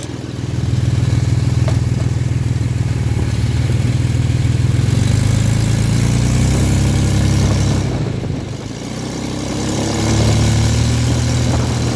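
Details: Car engine running with a deep, steady crankcase knock of roughly three beats a second under a low rumble; owner also feels a tangible push while driving.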